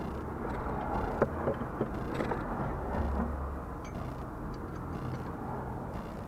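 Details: 2008 Ford Mondeo MK4, front suspension over speed bumps: a few sharp clunks and creaks from the front over low road rumble. Nothing looks loose with the wheels off, so the source is not yet found.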